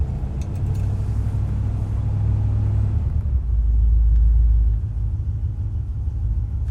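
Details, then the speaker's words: 1964 Cadillac Coupe De Ville cold in a garage at about 10 degrees after a hard start: deep, steady rumble that swells briefly around four seconds, then settles back into an even, normal cold idle. "Well, it's running now. It is cold. It's like, I'm here in the garage, it's probably around 10 degrees, but you know, still."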